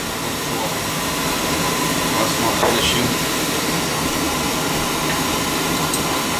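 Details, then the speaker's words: Beckett oil burner with intermittent delayed ignition and smoke, new nozzle, filter fine, pump flow checked at 140 pressure; constant even roar and hiss, no pulsing, rumble or sputter; burner running normally, pump possibly starting to let go. "we're getting a good flow out of it so I know the filter's good we see how she fires shouldn't have any delay"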